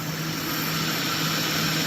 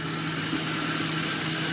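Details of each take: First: Car suspected of engine knock, listened at the block with the AC engaged: steady hum under hiss, knock gone; noise traced to the AC, engine block quiet and healthy. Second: Engine idling with the AC engaged; a knock heard with AC off disappears, leaving a steady, even idle hum, suggesting the AC compressor or pulley rather than the block, suspected but not confirmed.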